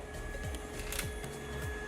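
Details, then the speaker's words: Cheap Lamborghini with turbos and water-to-air intercooler heat exchanger, pump wired direct to battery with 30 A fuse, interior part removed to test: faint steady electric whir at fixed pitch with handling clicks; normal pump operation. "So I took out this entire thing just so we can see if something's working and something isn't, and you can hear that pump. It's actually down here."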